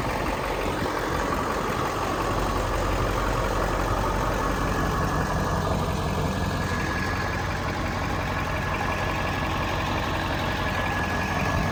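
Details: 7.3 Powerstroke diesel, about 200,000 miles, just started after purchase: steady, even idle with constant low clatter and no misses or knocks; sounds healthy.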